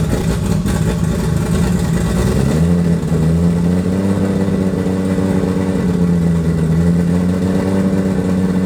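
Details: Toyota 2JZ turbo six in a Holden VL Commodore, first run in eight years after wiring work; free-revving with a slightly uneven lumpy drone; misfire, running on five cylinders.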